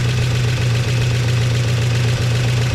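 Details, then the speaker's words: 1969 Chevy C10 engine idling after timing adjustment, oil pressure restored to 50 psi on an added gauge. Smooth, even low hum at one steady pitch, no ticking or knocking; healthy settled idle. "Got the oil pressure to run again. And it does sound better, but I got to run the motor flush, do an oil change, get all that stuff out of there."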